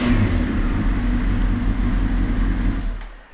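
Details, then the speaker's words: 1998 Honda CBR600 after a rev, which hesitated to start: fairly even idle with a faint unsteady lope, then shutoff; slight roughness but rideable, with a lean condition suspected from carb manifold rubbers sucking air. "definitely ridable and solidly within the spectrum of all Road goinging CBR 600s"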